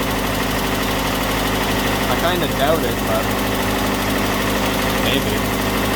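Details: Datsun truck engine after engine-bay overhaul, warm idle with choke engaged: light uneven tick at two to three per second; owner suspects valve tap, possibly the fuel pump; still has a dead spot and stalling history.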